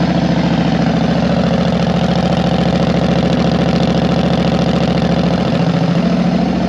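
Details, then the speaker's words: Yamaha Road Star 1600cc V-twin motorcycle at idle: deep, steady loping thump near three beats per second with no misses or knocks; running healthy. "Yamaha 1600cc Roadstar this thing has guts huge twin motor boom boom I mean 1,600cc like it's crazy listen to this [Music] thing"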